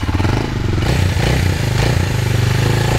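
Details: 2000 Kawasaki Super Sherpa 250cc single, sitting for years and not starting, fires on choke after pushing: even, low idle thumping with a steady rhythm and no knocks or misses; running healthy.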